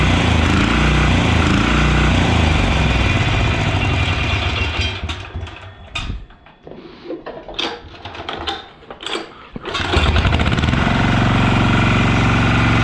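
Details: Yağmur YET 300 single-cylinder tiller after repair, previously tipped over, then misfired, stalled and starter would not pull: even thumping beat, dips briefly as throttle drops then picks back up cleanly; running fine.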